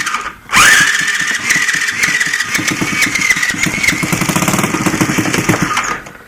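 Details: Water-seized 70cc Chinese ATV engine, first start with new starter and carb, choke closed, portable CDI box; starter whirs, engine catches and settles into an even quick putter, no knocking, sprocket turns; normal start and idle.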